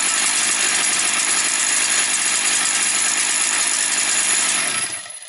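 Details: Motor Sich 270 chainsaw just started after priming, fifth pull, half choke, top cover off, not yet revved: sharp high-pitched two-stroke buzz steady at low throttle, then cutting out; runs perfectly, normal running.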